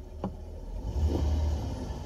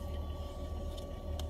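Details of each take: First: Car with aftermarket speakers and new 4-channel amplifier, engine running: only low engine rumble and faint clicks, no hiss or whine once a wire is pressed against the head unit's outer casing. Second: Car with newly added aftermarket 4-channel amplifier and speakers, mic held against speaker at idle: faint steady whine over low hum, turning higher-pitched when stepping on the gas; amplifier/head unit ground noise.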